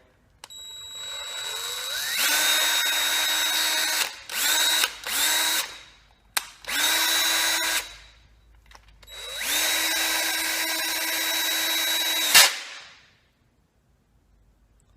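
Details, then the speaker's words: Stanley FatMax 20V lithium drill reassembled after over a year in parts: motor whines in short bursts and long runs with a rough, uneven slipping sound inside the gearbox; owner suspects the clutch system, a spring possibly involved. "that was not a good sound I feel like something is just slipping away in there what could that be that does not sound good"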